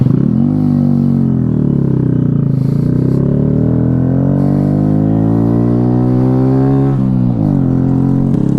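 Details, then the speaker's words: Honda Monkey bike: very loud, open exhaust bark whose pitch follows the revs; the exhaust baffle has been blown out. "so now Ashworth is so powerful it's literally just blown the baffle I'll be exhaust"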